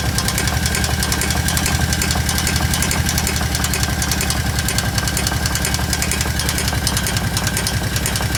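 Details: Kawasaki KVF750 V-twin ATV at idle: loud, sharp knock over the exhaust beat, seemingly from the rear cylinder; valve tappets checked and fine, cause unknown.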